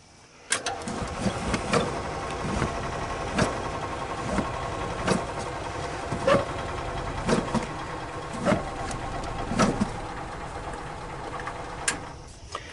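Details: 1995 EZGO Workhorse gas cart after sitting all winter, with an empty fuel filter and not drawing gasoline from the tank (old filter and short fuel lines later replaced): the starter churns with uneven coughs about once a second but never catches; fuel starvation.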